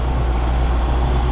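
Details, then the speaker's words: 1972 Mercedes-Benz 350 SL (4.5) R107 V8 starting during a fuel pressure test, then a smooth even low rumble with no misses or knocks; the gauge holds a steady 2 bar, as specified. "And the next thing is to fire up the engine and check the pressure."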